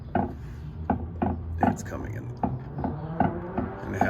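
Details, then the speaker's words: 2011 Camaro 2SS/RS, differential with about 145,000 miles, rear wheel rocked by hand: loose irregular clunks about once a second, sloppy play heard in the differential; differential backlash clunk, before rebuild to Jannetty 3.91 setup. "I'm thinking if I turn these tires too. Oh yeah. That's definitely my noise. I can hear it all in the differential."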